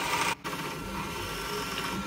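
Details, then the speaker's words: Ultimaker S5/S7 3D printer before repair: constant scratchy creaking and crackling of the belts over motion noise, audible from across the room, briefly dropping as it pauses, with black dust above the motors; worn motor belts and sliding blocks. "well it's just what I was expecting you can hear the belts Creek and crackle from across the room there's black dust above the motors"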